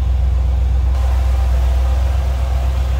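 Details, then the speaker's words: 1971 Chevrolet Corvette coupe, numbers-matching 350 V8, two-owner car: deep even low rumble with steady beat, no misses or ticks, quiet and smooth. Normal V8 idle. "Good sounding car, nothing over the top, nothing too loud. Nice little rumble coming out of that 350."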